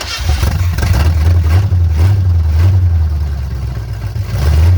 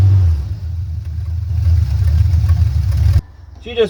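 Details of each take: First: Old engine freshly started, vacuum advance disconnected, firing order checked correct: uneven loping idle, dropping a cylinder now and then; misfire from retarded ignition timing needing advance. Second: Engine on first project in the new shop, just after adding ignition timing, vacuum advance unhooked; revs cleanly and holds a steady even note before shutoff.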